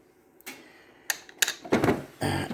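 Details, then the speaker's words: Technics RS-TR165 dual cassette deck, recording-deck mechanism: several sharp, uneven clicks in a quiet room from a failing gear inside the mechanism, which is about to be replaced with an eBay gear. "here is the symptom you can hear a clicking noise so now what we're going to do is we're going to change that gear inside of there"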